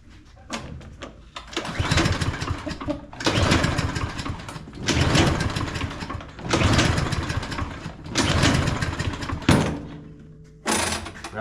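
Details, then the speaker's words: Craftsman M230 push mower, reported hard to start and smoking, oil level good and fuel fresh: five slow pull-cord strokes, each a rasping crank with no firing, so it won't start. "that's a whole lot of nothing is what it does."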